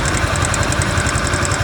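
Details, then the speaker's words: Honda Pop 110 single-cylinder idling with a fast, light metallic ticking from the timing chain slapping its guides, though the chain was fitted about two months earlier. "Corrente de comando, né? Batendo, ó."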